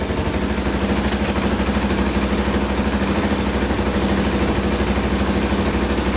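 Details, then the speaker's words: 2000 Can-Am DS650 quad, single-cylinder 650cc, rebuilt top end, after lowering idle on carburetor: steady even thumps about three per second, no misses or surging; normal idle. "i lowered it even more so it should idle perfectly now let's add a little gas in there and see what happens there we go got her dialed in"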